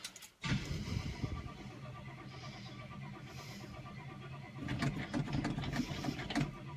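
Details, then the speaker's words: Cold start of the "Sweet71" car after two weeks of rainy weather, recorded with the window open: the starter catches abruptly, the engine runs ragged with uneven pulses, then steadies. Owner notes slight thumping. Rough sputtering cold start. "it sputtered come on there we go she's ready to go"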